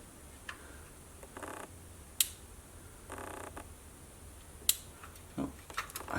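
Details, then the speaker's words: Kenwood KX-54 cassette deck (mid-1980s, TEAC V-380C transport) playing a tape after mechanical repair: quiet transport with a few sharp, irregular clicks seconds apart. A lever flicks because a spring was refitted on the wrong side; moving the spring stops the clicking. "as you can see there's a little lever moving that is most likely my fault because I put a spring on the wrong side"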